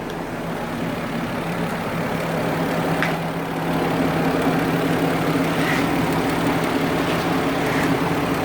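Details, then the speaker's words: Warmed-up car after repairing a snapped radiator coolant overflow nipple: loud, droning idle with a coarse, tractor-like throb and slight unevenness; owner says it sounds like a tractor engine, a separate issue; rough loud idle, cause unknown. "You know, the car sounds like a tractor engine, but that's a whole other issue."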